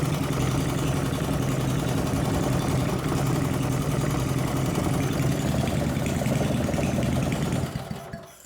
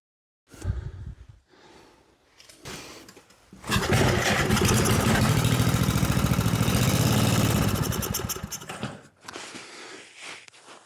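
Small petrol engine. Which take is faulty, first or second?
second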